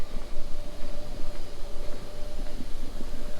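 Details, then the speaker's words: Hellcat fuel pump replacement, car not keyed on, relay bypass plugged in to run pumps for draining the tank: steady, even electric hum without surging or buzzing; fuel pumps running normally. "car is not even keyed on or anything split it to on you can hear the pumps are running"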